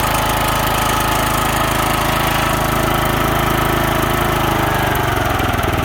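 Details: DR field and brush mower used as a snow machine, started in neutral: even single-cylinder putter of about 200 pulses a minute, steady with no misses or knocks; healthy idle.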